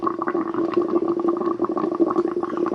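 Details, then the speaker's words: Twin turbo Subaru Forester with exhaust leak at manifold-to-up-pipe flange, not overheating: irregular hollow bubbling gurgle with no engine rhythm; owner suspects low coolant with air in the lines and a bad cap, system sucking air; coolant gurgling. "I think it didn't have enough coolant. Just trying to suck it back through. It's been sucking air into the system."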